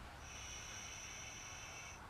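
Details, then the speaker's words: Rebuilt carburetor from a John Deere 110 garden tractor, new parts fitted, held upright while blowing into the fuel inlet: thin even hiss about two seconds as air flows freely past the open float needle valve; normal. "Then if you hold it upright and blow into the fuel inlet, you should hear the air flow."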